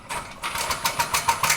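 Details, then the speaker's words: Graco QUANTM electric double diaphragm pump after inlet valve reopened: auto prime cycled slowly while dry, then caught prime and sped up to the one-touch set point; quiet gap, then strokes quickening to about four per second; normal. "And there you hear it took right off. It cycled slowly. The pump cycled slowly, it got prime, and it sped up to my set point on the one-touch control."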